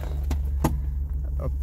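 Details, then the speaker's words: 1979 Honda Civic 1200, original, warm after about a mile of driving, muffler in poor shape: low, heavy idle with uneven stumbles every few tenths of a second; sounds like a misfire, owner suspects it is due for a tune-up, perhaps a wire. "I think she's probably about due for a tune-up it sounds like but she does run she runs good"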